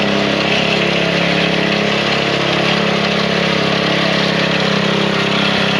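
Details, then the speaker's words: Small single-cylinder machine that would not start after 5 months unused, fuel line pulled to drain old gas: it fired right up and holds an even, quick idle with no misses or stumbles; bad gas was the cause. "Put it back on after just a few drops came out. Really fired right up. Bad gas."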